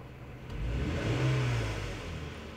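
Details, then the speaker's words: 2003 Lexus GS300 V6 revved under throttle: engine sags with stumble and uneven pulsing, hesitation from cylinder 2 misfire (code P0302, scan tool misfire counts); backfires at idle or low load. "and as I step on the gas I do feel the hesitation of that misfire"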